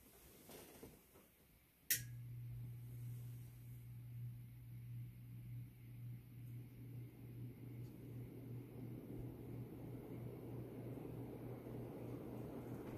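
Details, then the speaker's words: 52" Supreme Fan Mark III (Emperor) ceiling fan, recovered from an abandoned house: switch click, then steady low motor hum and smooth rising air whoosh; runs strong and even, normal running. "I'm impressed. It is a real powerhouse. It performs just as good as my Fazco parlor fan."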